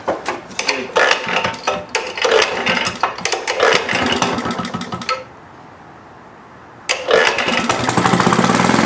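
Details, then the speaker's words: Rare Maytag Multi-Motor twin-cylinder model 72 with WICO magneto, newly rebuilt and first run with a new muffler: uneven popping beat that lurches, drops out and picks up again, hunting and missing; owner suspects it is starving for gas. "yeah sounds like it's starving for gas for some reason have this problem earlier"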